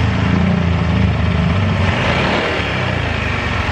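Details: Yamaha automatic scooter that runs rough and often stalls: rough, uneven idle at about three to four beats a second that sags midway as the engine starts dying; stalling at idle from low fuel pump pressure.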